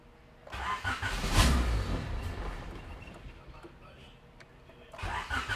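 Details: 1988-91 Honda Civic EF hatchback project car (the stock D15 was bought non-running; B17 swap later): the starter churns about four beats a second and the engine fires briefly, then dies and won't catch. It is starving for fuel because the pump isn't delivering.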